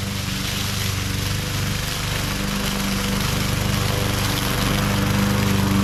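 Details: MTD 20-inch mower with Briggs and Stratton engine, previously hydrolocked with oil, test run after repair: steady, even drone holds speed without surging, misses or hunting, rising slightly under mowing load; running healthy.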